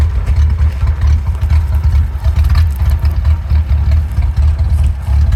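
Deep, lumpy idle with uneven thumping pulses that never settle into a steady beat; the engine is idling rough.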